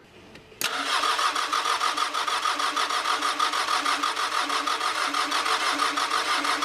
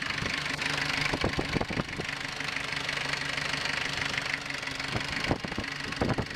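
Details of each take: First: 1983 Ford Ranger with factory 2.2L Perkins 4.135 diesel, after filling filters, bleeding the lift pump, cracking injector lines, fresh battery: steady cranking about three turns a second, no firing, spitting or smoke; crank-no-start. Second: Rare 1983 Ford Ranger with factory 2.2L Perkins 4.135 diesel, fed from a jerry can into the lift pump to bypass a suspected tank issue: catches quickly and settles into an even idle with normal light clatter.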